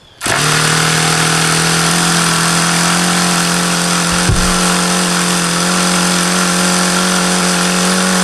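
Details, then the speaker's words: HP VT 21 rotary-valve four-stroke glow engine, not overly hot: steady, fairly high buzzing idle with a slight wobble midway, the lowest idle the owner has reached; owner thinks the low end is still rich and is leaning the low-speed needle. "that was as low as I could ever think I've gotten it to idle see I could get it to go lower as long as I kept an eye on there like it's still rich"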